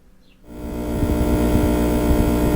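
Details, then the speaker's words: A power inverter newly installed on the outside of a bus, with no engine running, gives a loud, steady, low-pitched electrical buzz; the cause is not yet found. "I'm not sure if this will turn out in the video or not but can you hear the buzz of that inverter that's outside the bus"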